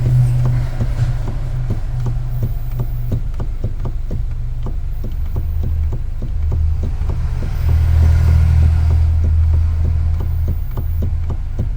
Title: Hyundai & Kia steering clunk noise common problem (MDPS COUPLING RUBBER WORN OUT)